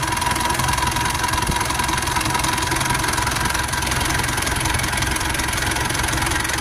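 An uneven, lumpy idle with irregular pulses around two to three per second and no steady rhythm; the engine is idling rough.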